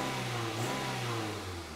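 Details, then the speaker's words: Toyota engine revving after ignition work, before spark plugs are changed (number four cylinder possibly slightly flooded); revs climb and fall smoothly with a steady, even note and no stumble or misfire, running far better. "but just let's hear what it sounds like first a million times better so you rev it up"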